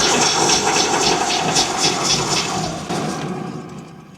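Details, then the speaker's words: A lifted front car wheel coasts down after revving with a dry, pulsing whir that fades as it slows, from a worn hub bearing; the mechanics suspect both sides hum, and there is no play in the wheel. "Ну гудит подшипник гудит надо ту сторону тоже поднимать смотри"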